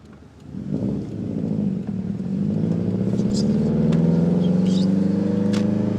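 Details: Subaru STI boxer engine revved and held: light, quick tick riding over the rumble, likely from the top end; owner suspects lifter tick.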